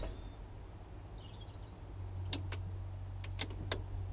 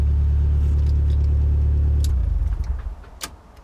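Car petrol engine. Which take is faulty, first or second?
first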